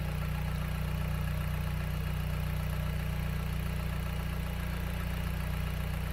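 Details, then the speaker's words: 2008 Dodge Caliber after alternator replacement, idling with battery charged, charging about 14.1–14.6 V: steady low idle hum with even pulse, no knocks or squeal; normal idle. "okay so she's charged uh coming back down after a full charge you can hear that kick"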